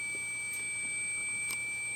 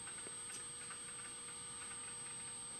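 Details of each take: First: Apple PowerBook 170 at power-on: a thin, steady high whistle from the speaker over a faint room hum, unchanging; it goes away after a while, cause unknown. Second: Apple PowerBook 170 rescued from e-waste, files dating from late 1997, opening a document in Word 6: quiet steady whine with a few sparse, faint clicks as the heads seek; the old hard drive is working normally.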